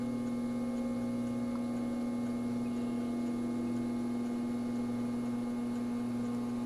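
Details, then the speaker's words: All-metal solder fume extractor fan after its dry bearings were oiled with 3-in-One, started on lowest speed then raised to high: slow spin-up, then a smooth, even hum with no scraping, running normally. "it takes a while to get up to speed but that's okay we'll crank it up a little"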